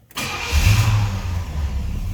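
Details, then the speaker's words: 1978 Pontiac Trans Am, V8: brief crank, then it catches at once and settles into a deep, steady, even rumble with no misses or knocks; a healthy, easy start. "See how easily it starts."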